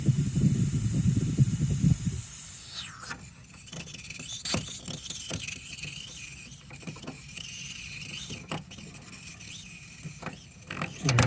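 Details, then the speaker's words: 2002 GM Suburban A/C low-side service valve opened: sharp steady hiss of refrigerant escaping for about two seconds, then tool clatter; the valve leaks, with only the plastic cap holding pressure and little cooling. "I can tell this is leaking because when I open it up, hear it? And there was some pressure too."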